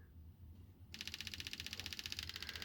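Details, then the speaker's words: Toyota Yaris Hybrid 1.5 evaporative purge solenoid, commanded on via scan tool pulse-width signal, switched on and off: near silence, then fast even ticking about thirteen clicks a second; healthy solenoid cycling. "and you can feel the clicking noise now it's off and on again now let's keep it off"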